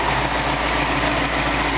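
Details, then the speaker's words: 1965 Ford Mustang, rebuilt C-code 289 two-barrel V8 with original carburetor and original Ford air conditioning, hood up: smooth even idle, soft steady rumble, no ticks or misses; purrs like a kitten. "got a nice looking engine detail original Ford air conditioning you can just hear the car purs like a kitten sounds great"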